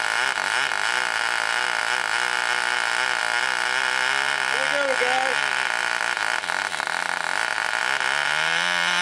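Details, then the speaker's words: Wrecking-yard Cox glow engine on nitro fuel, first start after needle adjustment: high, steady buzzing whine with slight pitch wavering; runs cleanly and holds speed, good compression afterward. "she does run guys you heard it right here all right so sweet that one runs"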